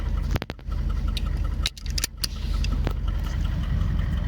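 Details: 1978 Chevy Malibu with a 6.2L diesel swap, HX35 turbo at about 10 psi, Turbo 400, custom top-mount crossover and 3-inch straight pipes; deep, loud rumble with steady diesel clatter, normal idle.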